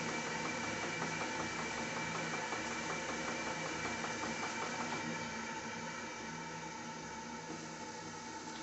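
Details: Live-steam RC Clyde puffer boat on first test after leak sealing and new accessories: soft, even chuffing over a steady hiss with constant rhythm; small steam engine running smoothly, whistle working.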